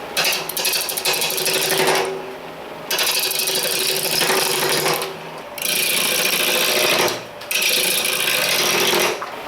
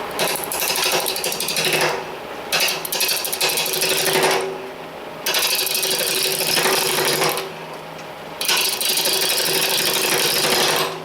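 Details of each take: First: Powermatic 2014 wood lathe at 800 rpm, rough turning, after stuffing styrofoam into the thin sheet-metal leg stand: cutting chatter over a steady spin with no hollow tinny ringing from the stand; normal running without stand resonance. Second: Powermatic 2014 lathe rough-turning a hackberry blank at about 800 rpm, before stuffing styrofoam into the legs: bursts of harsh chatter with a thin metallic tinny ring from the resonating hollow stand legs; the styrofoam later reduced it greatly.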